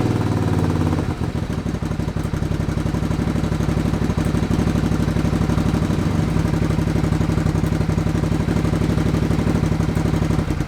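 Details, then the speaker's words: 1987 Suzuki Intruder 700 V-twin, with the front cylinder's plug lead pulled off, runs steadily on the rear cylinder alone at about four even pulses a second. Before, it would not; the choke cable was the suspected cause of the rear-cylinder misfire. "The bike was definitely running on that back cylinder. What I tried to do was just to pop the plug lead off the front cylinder to see if it carried on running on the back cylinder, which it wouldn't do before."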